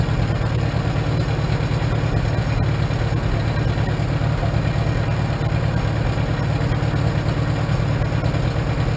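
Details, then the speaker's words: 1947 Farmall M tractor, unstarted for two to three weeks, after Farmhand loader installation: steady low, even chugging idle with a regular beat, perhaps one slight hiccup possibly from carbon; normal idle. "seems like it's running pretty good I get some fine-tuning sounds like it's got a slight hiccup"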